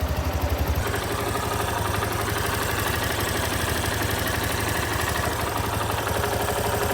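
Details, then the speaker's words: Yamaha Lander 250 single-cylinder at 10,000 km, idling before repair: a busy metallic clatter over the exhaust beat, thought to be valves but actually a defective cam chain tensioner, replaced under warranty. "a moto tava com um barulho estranho sabe de parecia ser válvula mas era só o trinador de corrente"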